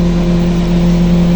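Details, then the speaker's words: Panasonic microwave, after fixing the burnt mica waveguide cover that caused popping and shorting: steady low mains hum, even and unbroken, no crackle or snapping; running normally. "Não estourou. Tá tudo normal. Funcionou legalzinho, bonitinho, não pipocou, não aconteceu nada."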